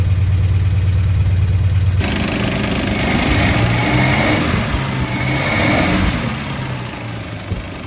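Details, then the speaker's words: 1974 Dodge Dart Sport slant six, first run after 17+ years off the road on an auxiliary fuel supply, weak fuel pump, not hot: uneven, lumpy beat of about three pulses a second; rough running, cause not pinned down. "that is an unhappy Slant six they're not supposed to sound like that"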